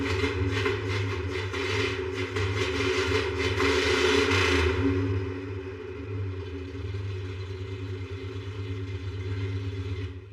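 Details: 1955 Pontiac V8 being readied to drive to the track, pulling fuel after repairs. It catches and revs up with a rapid firing beat, then settles to a steady, even idle; running properly.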